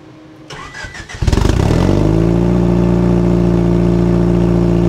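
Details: Turbo single-cam RT4WD Honda Civic Wagon after repairing the broken downpipe flex pipe and refitting wastegate: quick crank, catches cleanly, settles into steady even idle with no puffing or ticking; exhaust sealed, normal cold start and idle.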